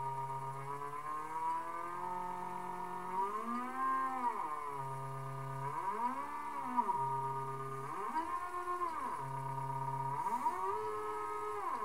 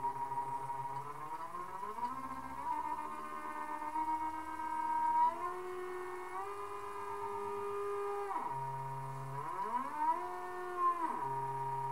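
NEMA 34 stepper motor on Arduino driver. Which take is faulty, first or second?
second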